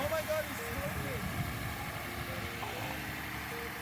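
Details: 2007 Lexus IS250 RWD during rebuild, crank-over just after battery and ECU were reconnected: engine fires and holds a fairly steady, even beat with mixed background clatter, no obvious knock or miss; normal running.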